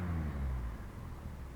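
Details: 1966 Triumph Spitfire MK2 with newly rebuilt 1296cc petrol engine idling with a low, fairly even rumble and no obvious stumble, after a vacuum leak through the unsealed oil filler cap (PCV valve draws from rocker cover) was found.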